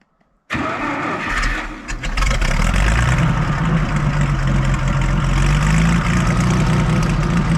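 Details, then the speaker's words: Farmall 560 tractor petrol engine after carburetor reinstall, before idle set: cranks briefly, fires quickly and settles into a steady, even idle with no knocks or misses; running properly. "and then we can, once my brother gets here, we'll fire it up and set the idle and see how she runs."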